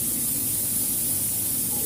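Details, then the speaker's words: Freezer box that would not cool, compressor restarted after line welding, running unloaded with no freon charged yet: a continuous steady hiss of air jetting from the open line over a low hum; compressor running normally, discharging air. "mesin kompresor sudah aktif ya di sini ada semburan udara yang keluar"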